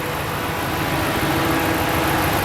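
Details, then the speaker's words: 2014 Ram 2500 Hemi V8, rebuilt salvage truck with alternator, power steering pump, AC compressor, idler and belt replaced: steady even idle, smooth low rumble, no knocking, squealing or belt chirp; no warning lights, mechanically sound. "so far we haven't had any warning lights [Music] fires right up sounds good has the nice hemi rumble"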